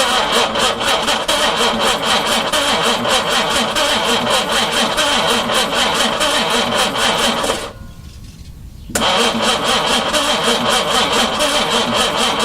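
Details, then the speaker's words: 4.2 engine on its first day turned over, carbs primed by hand and fuel pump not yet fitted: the engine catches and settles into a steady, even idle at about two beats per second; it all sounds good. "Okay, I'm going to leave it alone now. I'm a happy guy. That all sounds good."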